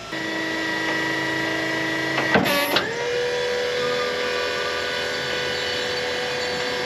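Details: Battery-powered hydraulic pump on a dumpster truck built from forklift parts, switched on by remote: steady electric hum with a short clatter as the lift kicks in, then an even settled tone; pump running normally.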